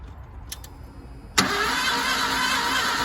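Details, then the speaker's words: Ford engine: starter churning steadily, never catching into idle; cranking, no start, not confirmed. "Try it again. Is there even any point? This thing is broken as hell."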